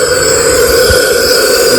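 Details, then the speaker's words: 2015 KTM 500 EXC-F with no start and low compression, leak-down test at 70 psi, engine off: steady loud hiss of air escaping past the intake valve, none from crank or exhaust; intake valve stuck open. "Dumping. Nothing out the crank or the exhaust. So we got a case of the intake valve being stuck open."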